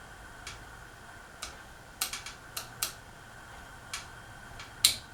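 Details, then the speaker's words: 2001 Casablanca Panama 2 ceiling fan on speed 1 without blades: sharp light ticks at uneven half- to one-second gaps over quiet low-speed hum, ticking from the canopy. "So that's just that noise is like coming from the canopy."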